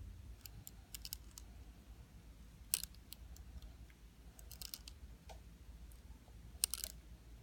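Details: DJI Phantom 4 gimbal: sharp, irregular small clicks in short clusters every time the gimbal tilts downward, in a quiet room; gimbal clicking, cause unknown.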